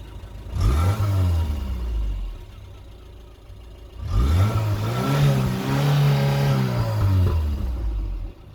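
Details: Talbot Express warm engine: two rev-ups rising and falling smoothly, no stumble or missing beat; misfire gone once warm.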